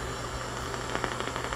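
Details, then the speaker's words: Ultrasonic leak detector on a beer cooler coil: fast irregular ticking over steady hiss and low hum marks refrigerant leaks, two or three found in the coil; hard to narrow down. "This is another beer cooler. Had a hard time narrowing it down. Hear the ticking noise?"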